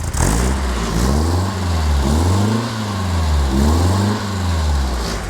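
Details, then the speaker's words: Rebuilt Alfa Romeo 2.0L twin cam, 11:1 compression, larger cams and valves, muffler fitted, warming up: repeated clean blips rise crisply and drop back evenly, no knocks or misses; healthy engine. "Sounds great. Things are warming up. Everything is looking really good."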